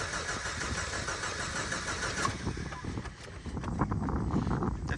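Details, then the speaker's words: 1989 Jeep crank-no-start after bogging and dying while driving: steady starter churn without firing, then catches once fuel added (about a gallon) reaches it; cause was an empty tank. "smell some gas but I think it's on me and she's running so if that's the case it ain't got no gas in it she was out of gas"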